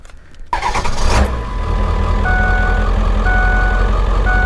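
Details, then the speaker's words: Ford 7.3 Powerstroke diesel with good, brand-new injectors, start checking the injectors (not a true cold start): quick crank, catches within a second, settles into an even idle under steady beeping. Normal start. "this is what a good motor sounds like with good injectors this thing has brand new baby swamps in it so I'm going to show you what it's supposed to start up like"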